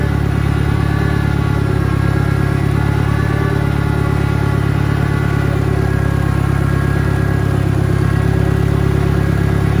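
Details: 1963 John Deere 1010 tractor, original and properly maintained, after third gear on a backyard lap and before reverse; steady engine with a faint, even gear hum, no knocks or grinding; normal transmission gear noise.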